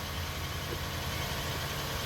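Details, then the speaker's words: 2004 Toyota Sienna after replacing leaking front Y-pipe exhaust (previously louder at front): smooth even low idle rumble, no puffing or ticking from front; exhaust leak fixed, normal idle. "There we go. Now we sound less like the Tacoma and more like the Sienna."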